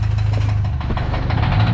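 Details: Kia Sportage engine awaiting repair: rough uneven idle with quick metallic clatter through the low rumble; mechanic says it is not fuel knocking, cause unknown.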